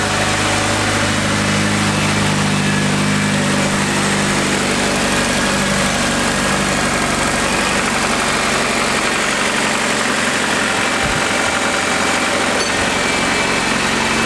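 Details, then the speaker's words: Turbo K20 Integra four-cylinder, first start after turbo build, battery died right before it started: steady even idle under hissy background noise, no knocks or misses while warming toward temperature, oil pressure good; normal idle. "the battery just died but right before it started but we're alive all right let's let's watch it for a minute see what happens"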